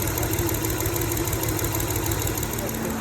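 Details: 2007 Hyundai Tiburon V6 after repairing the cylinder 2 injector wiring behind codes P0265 and P0302, codes now gone: steady even idle with smooth firing and no stumble; normal idle on all cylinders.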